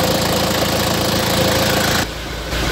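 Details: Isuzu Panther 2500cc diesel after timing gear refit and resetting, no exhaust smoke: even steady idle clatter, regular without misses or heavy knock; engine running fine.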